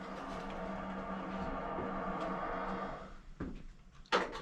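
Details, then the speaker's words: Two-pipe fan coil unit with a bad, rusted valve actuator whose spring would not return. With the spring released, the steady water-rushing hiss stops with a clunk as the valve shuts fully. "the sound is gone we had a bad actuator just one thing after another"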